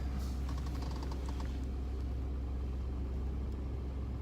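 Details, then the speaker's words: 1998 Chevy pickup after replacing factory fuel pump with aftermarket one: starts and settles into low, smooth, even idle with no misses, ticks or knocks; pumping fuel, running normally. "It's pumping fuel. She's running, folks. Success."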